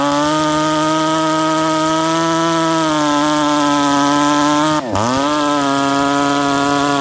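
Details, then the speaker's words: 268 chainsaw after five tanks of break-in fuel, with a modified exhaust port and a lighter aftermarket pipe, running on startup. A steady high two-stroke drone dips once and recovers cleanly: it runs smooth, healthy and rich, with moisture visible. "nice thing is you guys heard that saw run look how nice and rich it runs upon startup you guys can see moisture in there"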